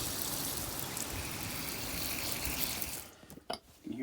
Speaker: You can hear the hot water tank draining.